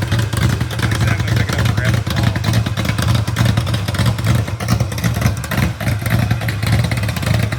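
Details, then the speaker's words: Rebuilt genuine 1970 Corvette LT1 V8, being built for a 1957 Chevrolet Nomad; deep lumpy rumble with quick even throttle blips, no knocks or rattles standing out. Normal running and revving. "sounds good. What you think? Still good motor. Sounds good."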